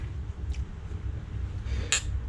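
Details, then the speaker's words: Click test on a CP3 pump solenoid from a 2009 6.7 Cummins, pump removed and dated 8/10/2022, wired to the battery terminals. Two sharp, clean clicks over a low hum: a crisp, strong actuation, a normal solenoid. "so if you listen really and it's a nice clean too yeah that's that's beautiful"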